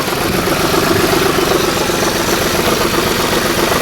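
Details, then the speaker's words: 2010 Ford F-150 4.6 V8, first start after a timing chain and guides rebuild, steady idle near 1,000 rpm with an uneven, stumbling beat as a cylinder drops out. Misfire at idle; owner bets on a broken coil, unconfirmed. "I got a mist, and I bet you it's this coil here that's broken, but that mist may go away."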